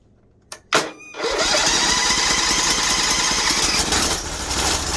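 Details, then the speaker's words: Bolens 1600H Hydro tractor, cold start at about -7°C (feels like -12) on the old battery: the single fires after a couple of tries, then runs rough and sags. Choke was likely turned off too soon; the oil is still original. "Probably should have left the choke on a little bit longer. Starting to shutting it off there. I'm going to want to choke a little bit longer maybe."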